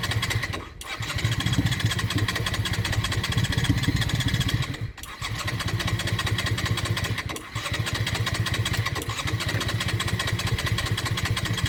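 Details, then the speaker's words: Honda Shadow restoration, after carb float work that had caused fuel overflow, air intakes left open: catches, runs a few seconds, sags and dies, restarts, three times over. Stalls after start; owner suspects too much air or battery. "So, as you can see, it starts on its own very, very well, but then it dies right after, which is I don't know why."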